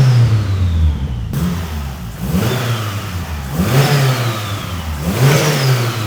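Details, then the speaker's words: Mitsubishi Evo after a new downpipe was built so the downpipe and wastegate flanges both seal: three crisp rev blips over a low rumble with no ticking or puffing. The exhaust is sealed and healthy. "The proof is in the pudding. There's no blows on that exhaust, that sounds an absolute dream. Happy days."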